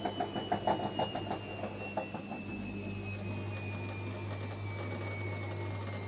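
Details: Gorenje washing machine spinning at 400 RPM with worn drum bearings: a deep, steady rumbling roar under the spin, like a distant train.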